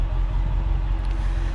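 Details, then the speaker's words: Mercedes E55 AMG Kompressor estate, supercharged V8, 55,000 miles, heard on a walk around at warm idle: deep, soft, subtle steady rumble, even with no knocks or misses; normal warm idle. "yeah when it's idling the store fairly subtle it's not obnoxiously loud like the newer cars"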